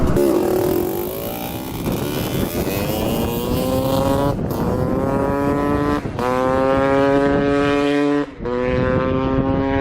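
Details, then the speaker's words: 1986 Honda CR250 two-stroke dirt bike, first ride after repairs: buzzy note through several blips, revs slightly hesitant and uneven, sounds lean like an air leak; spark plug found loose in its hole and coolant line loose. "sounds like it's running a little bit way in here all right i was running a little lean it looks like the spark plug came out of the hole up here and uh the coolant line right up here was loose"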